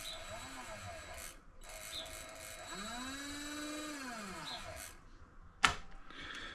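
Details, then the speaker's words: Vevor MX400 (WM210V) mini lathe motor after three years, pulley removed and motor isolated, running in reverse: thin tone rising and falling with an odd whine; forward sounds okay, owner suspects motor will fail, cause unconfirmed. "Has a bit of a a wine to it, but it works. Um I don't know. That sounds okay to me."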